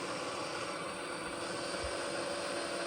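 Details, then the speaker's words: Bergonzi (Italy) TM 50 radial arm drill spindle running at about 1120–1150 rpm (range 30–1520 rpm): steady whir with one constant tone, no knocking or grinding; normal spindle running at medium speed. "Working at 1120 rotations per minute. Sorry, 1150 rotations per minute."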